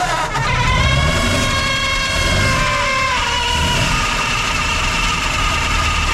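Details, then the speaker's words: 1940s Ford flathead V8 truck that sat at least 10 years, just revived after fuel priming: a steady, even low burble at idle with no knocks or misses, sounding healthy. "well after all that works it starts and it runs and it doesn't sound too bad so we'll pump the tires up on it now"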